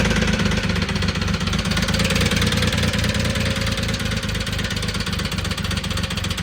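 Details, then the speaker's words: 2006 Triumph Rocket 3 started on jumper packs: a constant, very loud hard metallic knock at idle, roughly three per second, that seems to come from the top end of the engine. The exact cause is unconfirmed, and the bike is being dismantled for parts. "you're going to hear a very very loud metallic uh knocking at idle or a metallic I guess I guess you'd call it a knock. It's definitely um not ideal."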